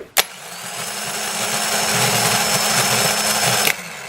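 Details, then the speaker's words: 2010 Toyota Corolla, original Denso starter, new battery, wired directly via jumper and switch, air in the teens °F: click, then harsh raspy starter grinding for about 3.5 seconds, ending in a click; cold-weather only. "now the temperature here is in the teens and I've noticed this is a cold weather thing as it warms up it'll stop"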